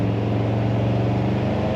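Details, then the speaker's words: 1968 Ford Galaxie 500 two-door hardtop, V8, column automatic, believed original 76,648 miles: strong, smooth low rumble with a steady, even beat under throttle and no knocks or misfires; healthy V8 with good acceleration. "And oh yeah, it has a nice rumble which you can hear and very good acceleration."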